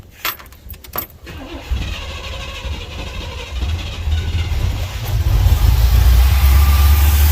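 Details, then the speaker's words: 1971 Monte Carlo V8 unrun for about 30 years, started on gas with two-stroke oil squirted into the float bowls: a few clicks, then it catches into a deep, fairly even rumble that grows steadier. It runs pretty good. "runs pretty good that's just a little bit of gas that I had squirted into the uh the float bowls so that it would try and run for a little while at least while I could check things"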